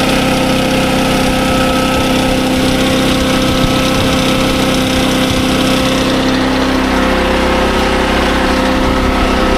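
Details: SDMO 5000W generator, Briggs & Stratton engine (about 18 hp), after repair, about 140 V output, load-tested with a roughly 1000 W heater, which it handled fine; steady constant hum, holds speed, no misses or knocks; normal running under load.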